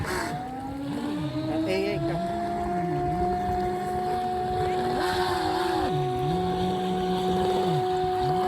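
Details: Homemade RC boat running: a steady motor whine with a wavering, uneven lower tone cycling a few times a second; the propeller shaft cross (universal) joint is broken.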